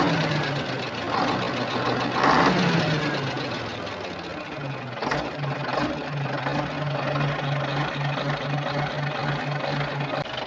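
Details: Volvo TWD121 six-cylinder turbo stationary diesel after fixing a knock by replacing one intake valve and gasket set: steady, even drone with smooth low hum and no sharp knock; normal running.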